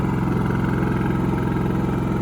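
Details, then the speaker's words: Wen 3800 inverter generator (56380i) in eco mode, idling with no load in a truck bed at a campsite, about 52 dB versus 50–51 dB ambient: steady, even low hum, no misses or knocks; normal idle. "No load plugged in. .52 decibels, so negligible difference."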